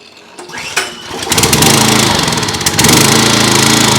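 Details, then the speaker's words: Simpson pressure washer, Kohler SH Series engine, after a second ultrasonic carburetor cleaning: pulls over, catches and climbs to a steady, even high-pitched buzz without hunting or surging, running with no choke at all. Normal running. "That's no choke at all. So that was with no choke at all. So that second time in the ultrasonic really did the trick."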